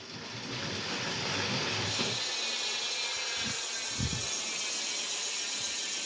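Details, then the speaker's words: Mondraker Podium RR SL mountain bike wheel spun after removing 10 g imbalance weight: steady whooshing hiss running even with only faint soft pulse, very slight vibration attributed to a slightly deformed tubular tire; wheel balanced, spinning smoothly. "le vélo tremble beaucoup moins voir pas du tout il y a une très légère vibration on l'entend en bruit"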